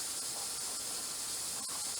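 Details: Presto 23-quart pressure canner, regulator on, safety valve and air vent up, tested toward about 12 psi after suspected seal/ring trouble: soft, steady high hiss, no sputter or surging; regulator holding pressure properly.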